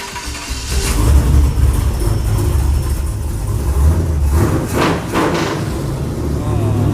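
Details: Roadkill nitrous muscle truck after a homemade bolt-and-O-ring carb sight plug was fitted: a deep, steady engine rumble with an even beat and no misses or knocks; it sounds healthy, though music plays over it.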